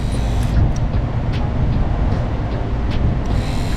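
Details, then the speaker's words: VW Bus wiper motor after a 12-volt drop-in armature upgrade, bench-powered: steady even electric whir, much quieter, with none of the earlier loud clicking from the armature hitting the body. "I turn on the front side turning and it's a lot quieter now still has obviously a take it's still an electric motor but much quieter kind of that loud clicking it was doing before from the Armature actually hitting the body"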